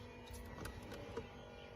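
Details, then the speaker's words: 1990 Range Rover Classic 300tdi at key-on, engine off: faint, even electric whir with a steady low hum as the hydraulic brake pump pressurizes the booster, no stutter or strain. Accumulator replaced 3–4 years ago; pump should not run over 45 seconds. Normal pump run. "And then, so the pump is spinning up and pressurizing the entire, the brake booster."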